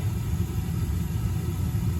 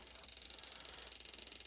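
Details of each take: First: Slant Fin Galaxy gas-fired steam boiler, about 40 years old, just after replacing the failed Honeywell intermittent pilot spark ignition module: ignition, then a steady main-burner roar with no pulsing or cutting out, normal operation. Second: Slant Fin Galaxy gas-fired steam boiler, no heat: rapid even clicking about twenty a second with no burner light-off as the spark keeps firing; failed Honeywell intermittent pilot ignition module, replaced.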